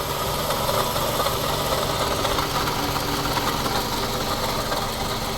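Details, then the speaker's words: 2007 Scion tC, 5-speed manual, at idle, complaint of clicking and ticking; listening near the water pump back side, constant rough growl with faint grinding: mechanic fairly confident it's the water pump. "looks like I'm going to have to take the belt off and actually turn everything by hand to see if I can't figure out where this noise is actually coming from so I'm pretty confident it's for the water pump"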